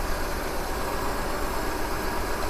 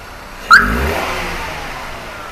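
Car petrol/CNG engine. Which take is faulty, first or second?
first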